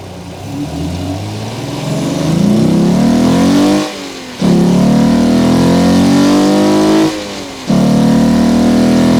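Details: Alfa Romeo GTV 3.0L Busso V6 with aftermarket open cone induction kit, microphone under the bonnet while driving: deep intake roar rising with revs, breaking at two gear changes; loud intake noise, kit being removed for stock airbox.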